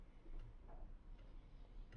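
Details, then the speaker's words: SMEG drip coffee machine with its blown thermal fuse bridged by a jumper cable for testing: quiet low hum with sharp irregular relay clicks about every half second while the heater is definitely getting hot; heating works. "Just going to feel. Yes, it is definitely getting hot."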